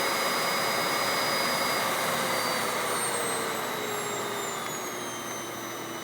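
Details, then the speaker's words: Hoover Windtunnel Anniversary Edition S3670 canister vacuum switched on at full suction: strong, steady high whine with rushing air, partly air escaping from the power brush, no rattle or grinding. Normal operation at full power. "Don't worry, that noise you're hearing is just air escaping from the power brush. But that's what it sounds like on full power."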